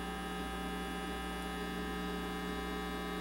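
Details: Steady low mains buzz with layered tones and a faint hiss from a home audio system (preamp, equalizer, amps) fed from the computer. It is a ground loop because the audio gear and computer are powered from outlets on separate floors.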